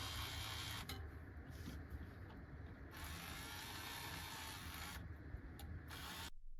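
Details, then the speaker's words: BMCU filament feeder after lubricating and reassembling the unit: soft motor whir starting and stopping in short runs, and the earlier mouse-like squeak from long-term use is gone. "And yes, the squeaking noise is gone."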